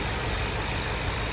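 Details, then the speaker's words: 2023 Ford Super Duty F350 7.3 Godzilla V8 after upper idler pulley replacement; bottom idler and tensioner bearing checked smooth and tight: steady, even idle, no tick or chirp from the pulleys; normal idle. "I don't I don't hear any more noises. I checked the bottom idler. It was smooth and wasn't rattling or loose. I checked the tensioner. Bearing was good. It was not loose or rattling. So, I don't know. Sounds good right now."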